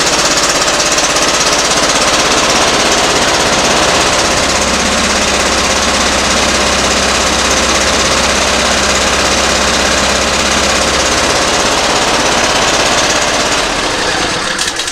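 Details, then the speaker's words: Simplicity ZT2500 zero-turn mower with Briggs & Stratton Professional Series 724cc 24HP engine, covers removed: loud, lumpy, uneven running at about 200 beats a minute; sounds like a cylinder not firing, cause suspected, not yet confirmed. "but it's not running good there as you can tell the sound of it and I'll show you how to troubleshoot that I mean it sounds like there's a cylinder not firing or something"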